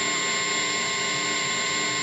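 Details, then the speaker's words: Small used practice amp turned all the way up with no playing: constant bright hiss with a faint steady hum, mostly noise from the pedals. "And a lot of that is my pedals, sadly. You know, they should be quieter, but they're not."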